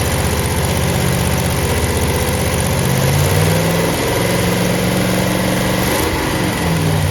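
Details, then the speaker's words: 1970 Chevelle SS with a freshly built solid-lifter 454 big-block on locking rocker nuts, restarted to finish break-in after about 15 minutes of running: steady, lumpy idle at about 650 rpm, even firing, no knocks; engine healthy. "it starts right up I mean it I mean it idles down to 650 RPM and uh we're very very very happy with how this motor is running"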